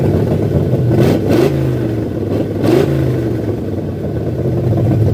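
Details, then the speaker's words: 1978 Ford F100 V8, new Comp Cams cam, first run after fixing reversed fuel lines: strong even running with sharp blips, choppy lope when idled down, no misfire or knock. "Oh, I am so stoked. It sounded so good. It even idled down and fucking chopped for a second before I shut her off."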